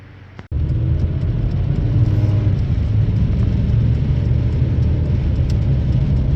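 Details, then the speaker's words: 2005 Honda Civic coupe, front wheel bearing, before replacement. A deep, steady hum and rumble holds evenly as the car rolls along. Noisy worn front wheel bearing. "It's got a noisy wheel bearing, as you guys will hear in a short second."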